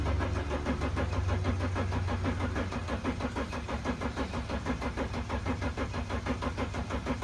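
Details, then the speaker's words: Mercedes Sprinter van with no-start condition, starter jumped by touching two connectors underneath with key on; steady, even cranking for several seconds but never fires: cranks, no start, cause unconfirmed (owner suspects wiring/disconnected lights). "so that is weird it's not coming out right now but at least it's spinning guys"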